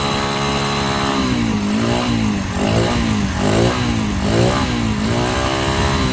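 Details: Honda Sonic 125 that wouldn't start after sitting, new carburetor flooded by dirt; fuel line replaced and inline fuel filter added: catches and runs with steady beat, revs swelling and easing slowly, no misfire or knock.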